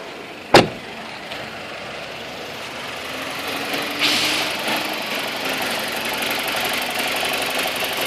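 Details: 2002 BMW 318i with N42 engine at 128,000 km, just bought: quiet idle with revs too low and a faint, fast metallic rattle riding over the engine; the owner doesn't know the cause.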